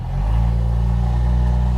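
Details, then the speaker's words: Jeep YJ Wrangler with a 1973–74 AMC 304 V8, previously seized and freed, running with exhaust and muffler missing after the catalytic converter. Very loud, deep, booming unmuffled drone. Exhaust needs replacing. "that's the next project is to fix the exhaust there's a bunch there's a bunch of exhaust parts and muffler in the back but"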